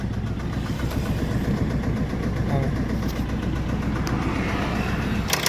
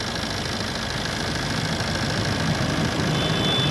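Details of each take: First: Maruti Swift diesel starting and idling with a heavy, regular knock in time with the engine; teardown found a worn crank bearing and a scored crankshaft, with the engine removed for overhaul. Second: Maruti Swift diesel after engine overhaul for a crankshaft noise: steady, even diesel clatter at idle with no knock or rattle after restart; normal idle.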